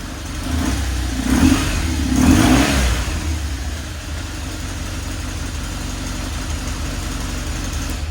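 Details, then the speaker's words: Crash-damaged 2009 BMW R1200GS, 40,248 miles, slight oil leak when warm: twin fires straight up, takes two clean throttle blips, then settles to a steady idle with no smoke; healthy. "fires right up no issues no smoke out of the pipes give her a nice little wrap"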